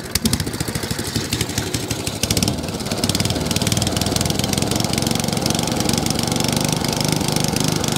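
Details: Echo 20-inch mower, stone-cold first start on choke with primed carburetor after a carburetor leak fix: catches after a pull and settles into quick, even firing with no stumble or misses; runs properly.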